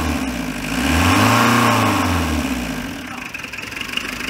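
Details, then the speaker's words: Renault Kangoo Express 1.9 dCi diesel, freshly "new-built" engine that lost coolant and overheated; after head gasket replacement (loose head studs found), new thermostat: catches, clean rev, settles to even idle, no knocks or misses; runs well. "Çalıştıralım. Evet, güzel çalışıyor. Çalışması falan güzel."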